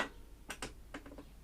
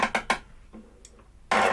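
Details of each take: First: Trash-picked lawnmower that sat about 40 weeks, engine off: quiet, sharp rickety clicks as the dead man lever is pulled. The kill switch isn't clearing and needs adjustment. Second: Trash-picked walk-behind mower, sat about 40 weeks, with intermittent fault: after adjusting the cable, distinct sharp clicks about once a second as the bail lever is worked; dead man safety switch now engaging properly.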